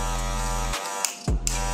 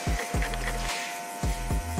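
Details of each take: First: Cordless Magic clipper newly fitted with a ceramic blade, blade position not adjusted: a steady buzzing hum with a slightly rattly edge, cut once briefly. The noise is likely from a worn, loose blade seat; slightly noisy but judged normal and safe. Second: Corded clipper after fitting a new ceramic blade and checking blade height: even motor buzz stays steady when tilted side to side and up and down, with no rattling noise; running smooth and healthy.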